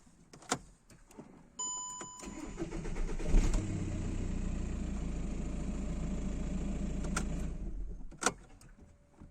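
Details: 2009 VW Jetta 1.9 TDI BXE diesel: starter churns a couple of seconds before reluctant catch and idle; P0341 cam position sensor G40, Delphi replacement (940 kohm) kept fault, OEM sensor (469 kohm) fixed hard start.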